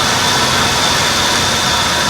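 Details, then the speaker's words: Buick LeSabre idling rough with a stumbling single-cylinder misfire under a loud hiss. Touching each coil showed one bad coil, possibly the module underneath. Replacing it with a junkyard set did not fix it. "this car has got a Mist fire I don't have my scanner so what we're going to do is start it up and we're going to go ahead and Dr this out and we're going to touch each one of these"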